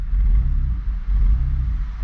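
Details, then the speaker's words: Car after fixing a line, fuel pump and relay already checked good: engine catches, deep uneven rumble flaring and sagging in a high idle surge before smoothing out. "might need a minute that was off possibly but now we had to crazy idle again but it's running up smoothing out smoothing out i think we're good"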